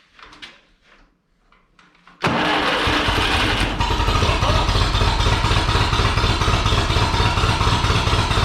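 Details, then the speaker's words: Ferguson TEA 2085 tractor, thought to be a 1951, first start after new spark plugs, points, condenser, wires, cap and rotor; catches and runs uneven, choppy, irregular pops; backfiring, owners suspect something is wrong; rough running on start-up. "that like backfire it's like we have it wrong now"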